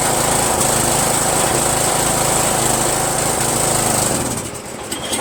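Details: Yard Machines 1742 lawn tractor, owner-rebuilt small engine running loud and choppy with an uneven lumpy beat before cutting out; owner suspects the reproduction Chinese eBay carburetor, not confirmed. Rough running.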